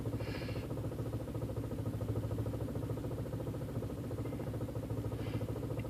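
A low, lumpy idle pulsing unevenly about three times a second with a faint clatter; the engine is idling rough, cause not identified.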